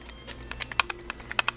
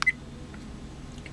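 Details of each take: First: Lightdow action camera loose inside its waterproof case: sharp, irregular plastic clicks; on a motorcycle handlebar it made a gurgling sound from resonant vibration, gone on the lower-vibration helmet mount; curable by securing the camera. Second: Lightdow action camera: short sharp high beeps, a quick pair then one more after a pause, each marking a normal mode change via the front button.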